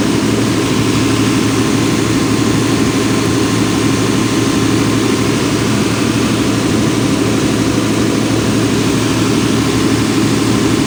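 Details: Volvo Penta 275 kVA canopy diesel genset on an off-load test, auto-started from standby after a 5-second relay delay, battery at 28 V: constant heavy drone at steady speed, smooth and unbroken, with no knocks or misses; normal unloaded running.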